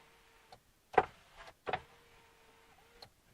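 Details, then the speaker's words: 2003 Chevy Monte Carlo SS power window, working again after the radio was replaced: faint motor hum with clicks and thumps as the glass struggles upward, slow only from the driver's side switch; owner suspects that switch. "That one's still having a hard time going up. Don't know why. Hard time going up from my switch, but not this switch."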